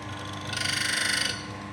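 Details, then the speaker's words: Coffee grinder with burrs adjusted too fine, upper and lower burrs touching: loud, high, gritty rasp pulsing about twenty-five times a second over the motor hum; burrs rubbing together. "Nah, kalau di sini udah dia bur atas sama bawah tuh udah udah nempel nyatu maknya bunyinya berisik."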